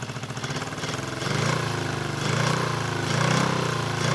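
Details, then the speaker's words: 1974 Honda CB350F four-cylinder, long sat unused: lumpy uneven loping putter about once a second; misfire, running only on cylinders two and four, one and three not firing, owner suspects a fuel problem, not confirmed. "I'm only running on cylinders four and two and one and three are not firing which means it should be a fuel thing"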